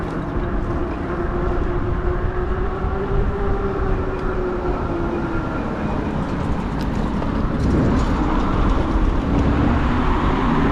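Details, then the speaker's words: E-bike ridden after replacing pedals with failing bearings, which were the real squeak source rather than the bottom bracket: steady rolling and wind noise with faint motor hum, pedaling quiet with no squeak. "so it feels kind of weird riding the seike without a squeak squeak noise"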